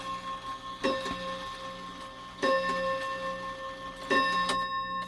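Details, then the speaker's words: Shanghai 555 clock after repair: clear bell strikes about every 1.5 s over quiet ticking, but the hour count keeps changing (4, then 6, 7). Wrong strike count. "Oh, it just keeps changing on me. Goes from 4 to 6. That don't make any sense."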